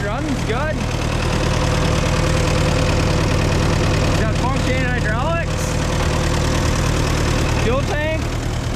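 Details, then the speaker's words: Old CO-OP E3 tractor, possibly 1947, with a four-cylinder LP engine and many hours, started on a fresh battery after years of sitting. Low, even, smooth idle with no misses or knocks; it sounds good, a normal idle. "so let's see if it'll start battery on ignition like a sewing machine sounds good"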